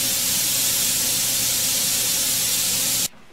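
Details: Steam sterilizer after about half an hour of sterilizing, with the valve flipped to release pressure. A loud, even, high steam hiss cuts off abruptly near the end; normal venting back down to one atmosphere.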